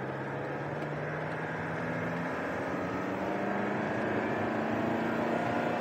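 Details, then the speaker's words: 2010 Holden Cruze 2.0 turbo diesel, 6T40 automatic, 246,000 on the clock, code pressure control solenoid valve 4 stuck off, pulling away in drive: revs climb without matching gain, then flare and resettle a gear higher. Slips in second and sixth. "But if you put it in drive or try second and sixth manually, it'll slip, you'll see in a moment."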